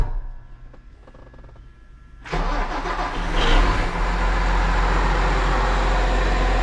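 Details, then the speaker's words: Case 305 tractor diesel after replacing the exhaust manifold gaskets: quiet cranking, then it catches and settles into a steady even idle; no clicking or ticking, exhaust leak gone, runs pretty good. "So far, sounds pretty good. No more annoying exhaust leak. Well, guys, runs pretty good."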